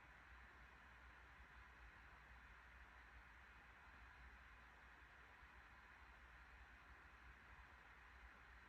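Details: 2021 MacBook Pro 14" M1 Max 32-core, CPU (Cinebench R23) and GPU (Path of Exile) at 100% load, fans about 4200–4250 rpm, 94–95 °C peak, heard at user distance: soft constant airy hiss, no pitch swings or grinding; normal fan noise.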